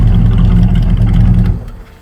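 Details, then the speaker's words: Cadillac V8 burnout car: loud, held flat out with a choppy stutter as it bangs the rev limiter at about 5,000 rpm, then shuts down. The belt flew off, leaving the water pump undriven. "Belt flew off? Yeah. Went to 5,000 RPM, hit the rev limiter."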